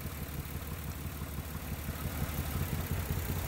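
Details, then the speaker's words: 1994-1999 Nissan Maxima at idle with the known-bad ignition coil pack unplugged plus a second coil removed: lumpy, uneven idle with a low irregular shake, running much worse; misfire from disconnected coils. "see, it runs a lot different. It runs a lot worse."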